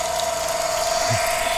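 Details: Solar/power-station-powered water pump with an automatic on/off pressure controller: steady mid-pitched pump hum with water rush, starting and running evenly without stutter; operating normally.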